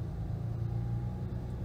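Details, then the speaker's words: BMW Z4 35i (N54 engine), reduced-power warning on: deep, uneven chugging idle that shakes the car and worsens over time, from sticking VANOS solenoids; cleaning the actuators plus an oil change fixed it. "anyway you get the gist it's unreduced power it's idling horribly and my sit in the car it's like shaking"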